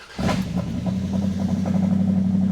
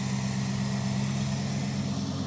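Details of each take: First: Dodge crew cab Charger project with 5.2 L 318 V8, Seafoam poured in crankcase, cold start: engine catches, faint quick ticking for a second or two, then settles to smooth steady idle; ticking at cold start, probably a lifter. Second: Dodge crew cab Charger project with 5.2 L V8 choked by a two-barrel carburetor: steady, even idle with deep droning buzz from the engine-driven cooling fan, like a WWII bomber, no knocks or misses; normal idle.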